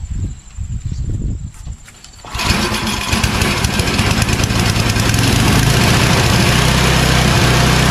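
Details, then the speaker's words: Yard Machines 8HP Tecumseh snowblower that surged and hunted, after replacing carburetor 632334A, at full choke and full throttle: it catches after a couple of pulls and runs at a steady, even beat with no surging; normal running. "this snowball is now completely tuned up it's ready for the winter"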